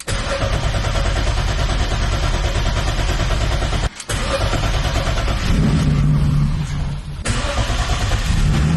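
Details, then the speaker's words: BMW E30 with turbo M50, ECU fuel pressure 50 and dead times adjusted, cold weather: cranking cuts out and catches before steady, slightly rich idle. Always starts on the second crank. "Always starting on the second crank. It's running so good right now though."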